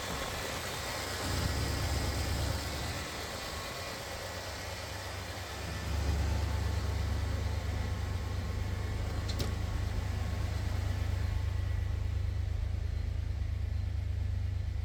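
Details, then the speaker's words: Freshly reinstalled drag-car engine, not yet at operating temperature, with the timing still to be dialed in: it catches and settles into a steady, low, even hum that holds on its own. A smooth, healthy idle. "That's interesting. There she starts and runs on her own."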